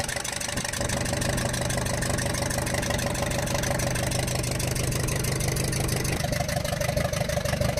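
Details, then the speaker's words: Ashok Leyland Captain 4923 BS4 N4S diesel truck with low pickup and smoke: sharp, rapid ticking clatter at idle with manifold side opened; valve bridge on first rocker from rear had fallen out, raw diesel seeping and burning. "उसकी जो है वाल bridge निकल के सटक के गिर गई थी दोस्तों उसके कारण यह साउंड बन रहा था"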